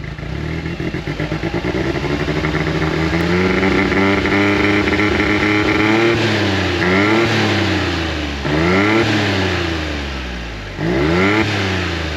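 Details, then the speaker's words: 2016 John Deere Gator 825i UTV idling and revving, fuel pressure holding about 50 psi but dropping at key-off: uneven, stumbling beat persists as revs rise and fall, a miss; owner suspects the fuel pressure regulator, runs smooth cruising around 30 mph. "So that may be the fuel pressure regulator. And if it is, that would make sense for what the symptoms are I got because it sounds like it's missing."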